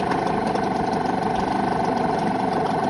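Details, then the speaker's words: Parsun 5.8HP two-stroke small outboard warming up after start: steady fast idle, even pulses about four per second, running smooth though it may stall until warm; normal idle. "This warms up a little bit more, but there is a chance that it might just plonk out, in which case you just got to start it up again."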